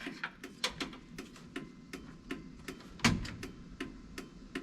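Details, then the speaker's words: NBS Silverado/Sierra during a factory power window, lock and mirror swap, battery just reconnected: sharp, quick, steady clicks like a flasher relay in a quiet cab. The hazards are on, suspected because no light switch is installed. "i don't know if you guys can hear that clicking it sounds like the uh hazards are going off and i think it could be because we don't have a switch for the lights"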